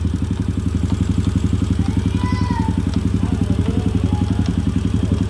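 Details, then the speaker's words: Honda Supra X/Grand small motorcycle engine at idle: a steady, rapid tok-tok clatter over the exhaust beat, like a loose part inside; described as a common fault on these engines. "suaranya jadi tok tok tok tok tok tok jadi seperti ada suatu barang yang longgar ya"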